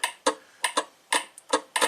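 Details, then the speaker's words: 1967 Triumph GT6 horn relay, purple and black wire manually grounded by jumper to battery ground: sharp crisp clicks, some doubled, about eight in two seconds; relay works, but horn and horn button lack continuity. "So the relay works, the wiring to the horn is good, but we have two problems."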